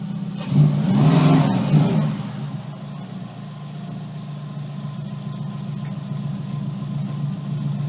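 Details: Subaru Impreza: harsh gritty grind about 1.5 s over steady idle: gears grinding engaging reverse, clutch possibly not releasing.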